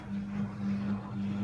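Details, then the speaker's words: AEG L76680WD washer dryer with an E91 fault, test program just started with the door locked: the drain pump is pumping out with a steady, even low hum. The pump runs normally. "start locked it's pumping out it's got a little heating symbol there similar to the top of the onsen symbol in japanese thermal spas thermal baths you can hear the pump"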